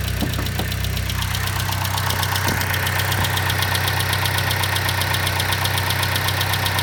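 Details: 2012 Chevy Sonic 1.4T at about 80k miles: steady idle with a loud, fast, regular top-end tick. Lifters, clogged injectors or the purge valve were suspected; the noise faded after injector cleaner and a new purge valve.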